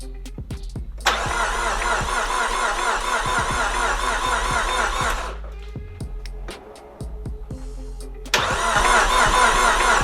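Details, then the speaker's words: Nissan S13 200SX with freshly rebuilt CA18DET engine, first start attempt: steady starter cranking about two turns per second, never catches; owner suspects CAS installation, then fuel injectors. "we went but nothing's starting which leads me to believe one of two things"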